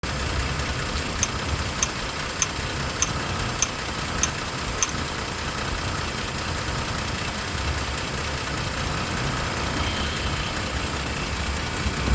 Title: Tacoma clicking sound